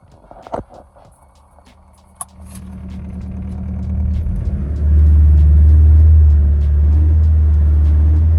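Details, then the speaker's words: Ford Focus built from scrap parts, on ramps: after start-up a deep booming drone and heavy vibration swell at idle, visible in the mirror; the loose exhaust is flapping and contacting the subframe. "I'm not happy it's flapping around it's going to catch it's going to catch on there and cause all sorts of problems"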